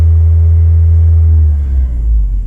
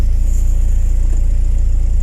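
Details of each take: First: VW Passat B3 with 2E petrol engine idling: heavy, steady low drone with strong vibration in the cabin; owner suspects the right engine mount and plans to replace it; cause unconfirmed. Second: VW Passat B3 with 2E engine: low steady even idle rumble with no knocks, jerks or hunting, engine sitting still and running smoothly.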